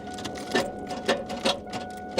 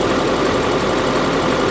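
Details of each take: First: I think that engine just locked up She's Tight so maybe it had rods knocking who knows there's definitely something going on with this though Second: Chevy 2500 heavy duty diesel work truck at Copart, an older body style that is not lifted. It idles with a smooth, even low rumble and no knocks, ticks or misses, running healthy.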